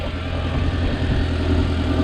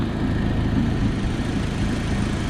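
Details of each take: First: Audi after repair, parts tightened after warming up; this earlier sound had also triggered the engine light: steady, even idle with smooth low drone, no puffing or ticking at the exhaust; the awful sound is gone, engine healthy. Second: Audi with a loud, rough, tank-like idle and a puffing tick in time with firing; owner traces the leak to this area and suspects the exhaust manifold gasket.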